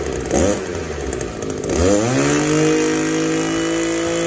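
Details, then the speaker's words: Echo SRM-280S two-stroke trimmer that would not rev up, after cleaning its clogged catalytic converter (spark arrester screen, carburetor and new plug already fine), lightly warmed: climbs quickly from rough low speed to a clean, steady high scream without stumbling; healthy full rev. "let's see what this thing sounds like after we clean the catalytic converter out and check it out so it's idling a whole lot better already"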